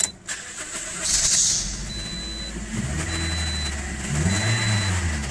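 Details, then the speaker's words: 2009 Toyota Corolla, 167,000 miles, check engine light on, runs rough at low rpm and sometimes stalls: three warning chimes, then uneven, rough cranking and start; misfire codes on cylinders one and two. "okay not quite sure like the way it cranks over though little rough on and you got to crank it over"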